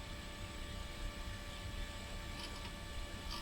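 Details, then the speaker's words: Old hard drive in retro PC (Celeron 600 MHz, 128 MB RAM) booting Windows 98: steady even whirr with faint fixed tones over low hum, no clicking or scraping; drive spins normally, hardware fine though Windows shows errors. "hard drive sounds okay"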